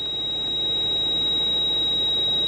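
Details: Steady unbroken high-pitched ABS warning buzzer in a 170-series Toyota Crown Majesta (1UZ-FE V8); codes show ABS pump motor fault and low accumulator pressure; stuffed ABS pump.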